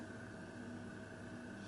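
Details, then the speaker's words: Moss Tropical Breeze spinner ceiling fan (JCPenney-sold) on a solid-state speed control, turned up to about 0.23–0.28: very quiet, steady faint hum with light airy hiss, no ticking, rubbing or wobble, almost bedroom quiet; normal running. "I cannot hear it with anything else in this room the fridge is running but if I can't hear that this is like almost bedroom quiet 0.23 the very faint hum 0.28"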